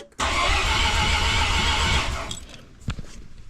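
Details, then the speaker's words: Mazda RX-7 bridgeport 13B rotary, billet semi-peripheral port, turbo, new wiring loom, cranked with fuel pumps and coil packs disconnected: starter spins briskly and evenly about two seconds, no drag, healthy cranking. "and she does she sounds healthy which is great"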